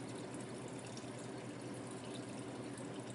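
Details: Ice machine, no water filter fitted, fed straight from the supply: a steady gentle rush and trickle of water into the trough, no surging or sputter, approaching the level probe; normal water fill.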